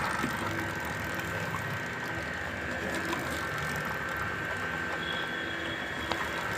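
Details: Hero Splendor motorcycle drive chain after lubrication with 90 gear oil: soft, even whir with the dry chain's tick-tick noise gone; chain now quiet.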